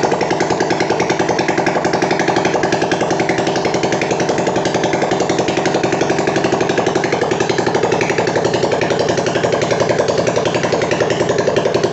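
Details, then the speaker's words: Yamaha Scorpio single-cylinder after ring positions corrected (piston and rings not replaced), tested for white smoke with the muffler deliberately left off so oily exhaust won't dirty it; loud, sharp, rapid open-pipe popping at steady fast idle, nothing else clearly wrong. "Jadi ini knalpot Emang sengaja Enggak saya pasang dulu soalnya bab buat ngetes"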